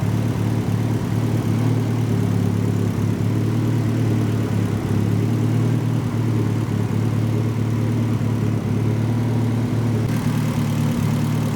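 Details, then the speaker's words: Mitsubishi Evo IX after thermostat and heater-core coolant line replacement, coolant around 161°F, no leaks: steady even low idle, smooth hum, no knocks or misses while bleeding the cooling system; normal idle. "now we're just letting the car run and bleed off the cooling system a little bit more"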